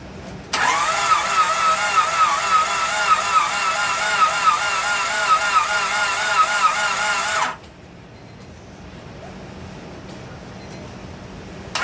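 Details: 1998 Honda Civic with a replacement engine swapped in after a rod bearing failure, crank sensor hooked up and timing set: even starter cranking, about four turns a second for seven seconds, never catches; no spark because the distributor isn't hooked up. Owner also suspects low compression.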